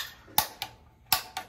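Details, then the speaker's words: Weil McLain CGa5 gas-fired hydronic boiler, new install replacing 60+ year old unit, first firing after gas turned back on and union cracked to bleed air: sharp dry igniter ticks in pairs, about two per second, burner repeatedly trying to light but not catching. "make sure it's nice and tight she's still trying to light over there"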